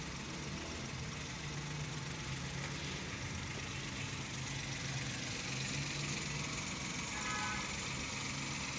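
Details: 2012 Mazda (Suzuki Every-based) van after repairing the P0303 cylinder 3 misfire: quiet, even idle with a soft steady pulse and no misses or knocks; running smoothly.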